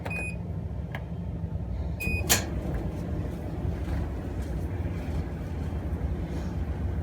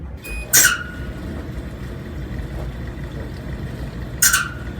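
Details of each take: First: Amana gas clothes dryer, about 12 years old, reassembled with gas back on after a couple drops of oil fixed the squeak: panel beeps and a door clunk, then low, even drum rumble with no squeal or thumping; normal running. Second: Amana gas clothes dryer on pedestal before repair: short, sharp squeaks about every three to four seconds over a quiet tumble, suspected from the dry idler/tensioner pulley; idler pulley squeak.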